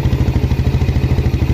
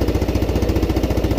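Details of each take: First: Used Yamaha Jupiter Z bought in poor condition, after double clutch replacement and added second reed membrane; steady, smooth single-cylinder thump at about three beats a second with no rattle, much smoother than before, healthy idle. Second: Used Yamaha Jupiter Z (Robot) in poor condition, first start idling: loud fast even thumping with harsh rattle; exhaust leak and suspected clutch damage, piston to be replaced.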